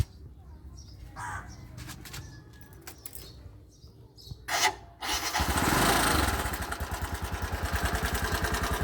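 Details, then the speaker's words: 2020 Bajaj Boxer X150 single-cylinder idling: steady sharp regular tapping about three per second; suspected loose tappets at first, but the knock was later traced to a worn piston rubbing the cylinder walls. "you hear that's the sound when there is too loose tapet when the Tet are too loose that's the sound here"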